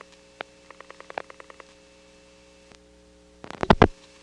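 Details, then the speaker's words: 1977 call from Atlanta Drake step to supervision test in downtown Crossbar 5; faint short tone pips over quiet humming line, then louder burst; crosstalk from MF incoming register or perhaps MF sender. "There was some crosstalk from an MF incoming register, or perhaps an MF sender, in this Crossbar 5 we're calling."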